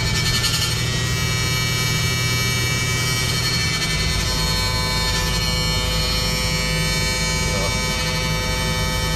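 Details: Bus with a constant high-pitched electrical buzz over a low hum, steady and not following engine speed; owner calls it some kind of alarm and was told it's normal; unexplained electrical buzz, cause unconfirmed.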